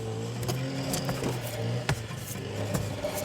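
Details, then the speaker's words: Daihatsu Charade, front wheel spun by hand: a steady low rumble with light scrapes; a worn wheel bearing is suspected, and the scrape is thought to be the brake backing plate (brakes rusty from sitting). "uh it's a rumble I'm going to see if we can get this transferred to the microphone but I might need your help"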